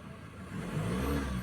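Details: 2015 Ford Ranger 2.2 engine after the no-start repair, codes cleared with no DTCs, on the final RPM check before the test drive. The engine climbs smoothly from idle into a clean, even rev with no misses, knocks or hesitation, and sounds healthy.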